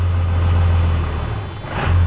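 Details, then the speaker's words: Cold 12-valve Cummins 6BT in a manual 2nd-gen Ram, no preheat, pump timing raised from 13.5 to 15.5 degrees, 3k governor springs: the deep idle sags and roughens after the throttle is released, nearly stalling, then recovers. Owner suspects the mods cause the cold stall. "but if I bring the RPM up a little bit and then I let go it'll stall out like that"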